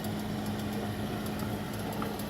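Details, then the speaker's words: Old 4-foot fluorescent shop lights at about 40 degrees in shop: constant low buzz at steady pitch with faint crackle; ballast buzzing as cold tubes struggle and flicker to light. "you can hear the buzzing they struggle in the cold sometimes"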